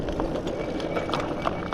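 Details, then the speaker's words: Dual hub ebike, Bafang G62 1000W rear and G60 750W front, riding on road: scattered irregular light clicks over road hiss; rider suspects loose debris from the road hitting the fender, not confirmed. "what what is happening what is that I think it's just loose stuff on the road hitting"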